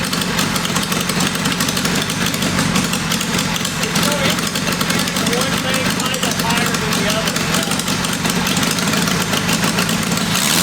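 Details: Rough, uneven idle that stumbles and hunts on the first test fire of a roughly 525cc 4-cylinder military-engine go-kart after tuning with a VM22 Mikuni carburetor kit; runnability problems remain, and ignition is suspected but not confirmed.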